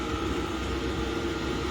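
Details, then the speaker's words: Diesel heater newly fitted in a shed, picking up and revving up, blowing much more air: steady rushing airflow, even fan hum and clean whine, no rattles or surging; normal high-power operation. "as you can hear it's really revving up"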